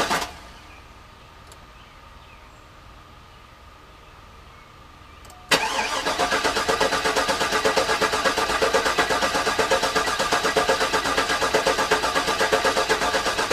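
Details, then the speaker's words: Garage-rebuilt GM LS engine in the car, first start attempt with the fuel pump not working: steady rhythmic cranking that never catches. No oil pressure, and the owner thinks the oil pump needs priming. Crank, no start. "i'm not getting any oil pressure in there so i'm thinking i may need to prime it which is unfortunate because that is a lot harder to do with the engine in the car"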